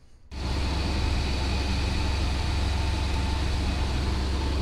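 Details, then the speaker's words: 2000 Chevy S10 ZR2 after new spark plugs, motor mounts, battery, terminals and tray, all reassembled: a steady, even low idle with no misses, knocks or ticks; runs fine. "as you can hear it's running we got it all back together"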